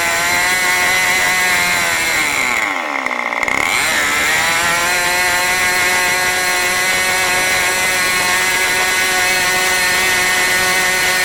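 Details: New OS 40 FSR model engine, second tank, not fully broken in, throttled down: a high-pitched buzz dips briefly, then holds a fast, slightly uneven idle near 3500 rpm, where it should be about 2700. The low-end mixture is way too rich.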